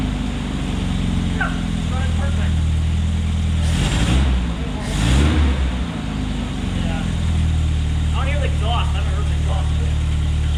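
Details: 1972 Opel GT after readjusting timing: steady low idle near 1100 rpm with a couple of brief swells, no stumbling or hunting; normal idle.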